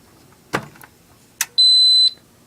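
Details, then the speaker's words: Radionics D7022 alarm control panel with one standby battery unplugged: two soft clicks, then a single high-pitched half-second beep as the panel goes into trouble, showing system fault and the battery LED; trouble signal from a disconnected standby battery. "so i can prove that if i unplug one of the batteries this will go into trouble"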